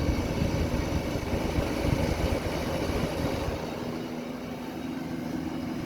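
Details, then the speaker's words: Vintage Eaton Viking dehumidifier with Tecumseh compressor and an unbalanced fan, after vibration fixes and new grille: steady even hum with low tone and fan rush; compressor running normally. "Anyways, let's let it run for a bit and see how much water it collects. You hear the sound of the compressor?"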